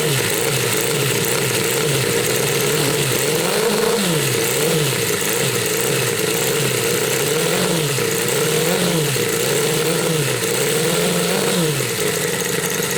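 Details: Homemade four-cylinder CD125four engine (Honda Monkey converted, ver1.1) on bench with smaller carb, untuned: lightly varying idle rising and settling smoothly with no misses; starts better than with first carb; normal idle.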